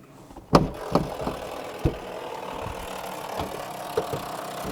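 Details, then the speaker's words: 1998 Range Rover P38 2.5 diesel at idle: sharp door lock actuator clunks repeat unevenly about once a second; owner is pretty sure the lock button's broken spring keeps it pushed in, so central locking cycles itself. "pretty sure the cause of that is this button um the spring's just broken in it so whenever you push it in it doesn't come back out again so the actuator is kind of just itself basically"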